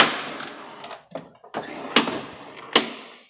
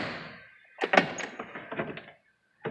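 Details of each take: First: Jeep door before repair: the old door check strap still makes this noise even with new pins; the other doors are quiet. Loud clunks and pops about once a second as the door swings; broken, binding door check strap. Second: Jeep door after repair, reassembled. It felt like it closed oddly until the forgotten push pins were pushed in. Door opens with a soft thunk and a brief detent click, no creak or pop; normal door check operation.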